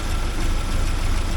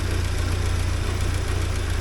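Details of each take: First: 1979 Porsche 924 after timing belt work, cold engine in snowy weather: low, uneven, lumpy idle with no clean rhythm until the warm-up regulator reaches temperature. Blipping the throttle cold stalls it. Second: 1979 Porsche 924 after timing belt work, warming up with the air pump and A/C not connected: steady, even low rumble with no misses or knocks as the idle smooths out.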